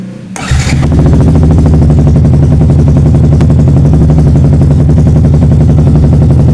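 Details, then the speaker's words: Yamaha R15 with MIL code 46, charging over-voltage up to 18 V and battery at 12.6 V, regulator suspected: single-cylinder engine starts and settles into a steady low putter that never picks up; it will not rev. "Motor pun tidak bisa digas Pak."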